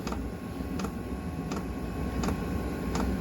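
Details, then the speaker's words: eBay Chinese diesel heater installed in a 1966 VW Beetle, about five minutes into startup: steady fan whoosh under sharp, evenly spaced fuel pump ticks about every 0.7 s, getting faster automatically; normal start-up. "it's all automated which is kind of neat for what you pay for you can hear it's getting faster"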